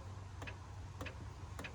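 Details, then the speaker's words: Seized engine of a bull nose Ford F150 that sat 14 years with water inside after a 2010 flood: starter triggered while pushing a pipe on the engine gives three sharp solenoid clicks, no crank. "okay okay we got some solenoid going off but nothing big nothing big"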